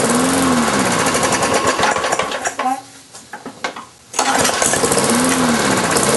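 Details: Briggs & Stratton engine transplanted onto a Lawn-Boy mower deck, sitting, fresh oil, 89 octane fuel with Marvel Mystery Oil in fuel and oil; rough sputtering that catches briefly, dies, fires again. Hard starting; owner suspects carburetor diaphragm, pull cord problem.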